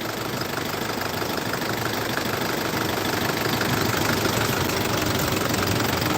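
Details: 2014 Isuzu D-Max 2.5 Z VGS diesel, about 70,000 km, first morning cold start: even clatter at about two beats a second, no misses or extra knocks, no smoke or oil spray; normal, healthy idle.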